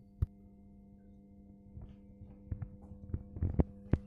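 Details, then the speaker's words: Miele washing machine that showed Zulauf prüfen (no water intake) error, after control board contact repair: steady low hum with scattered clicks as inlet valve energises normally and retries filling with water supply off; no error now. "клапан гудит если слышно на клапан будет но так как воды сейчас нет он еще раз пробует"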